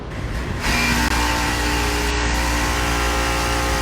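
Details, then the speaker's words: 2.5-ton residential AC condensing unit: loud, steady roar over a constant hum, far harsher than normal, from an internally failing compressor. "Yeah, that noise. It's not supposed to be making that. So that's the noise that the compressor was making. It was pretty loud."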